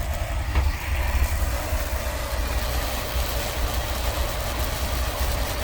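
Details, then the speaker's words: 2004 Chevy Astro 4x4 van, 4.3 V6 Vortec, chasing a P0303 code, idling in reverse with brake held: steady low idle rumble with a faint extra hum underneath, attributed to the Hydro-Boost brake assist pressure; considered normal. "Makes that noise there when it's in gear with the brake on. It's in reverse. It sounds like it's in there. So that's got to do with your pressure for your brakes."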